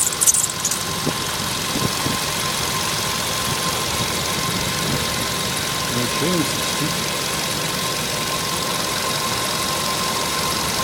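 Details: VW Polo sedan engine running with a thin, steady high squeal held at one pitch over idle, typical of a slipping accessory belt.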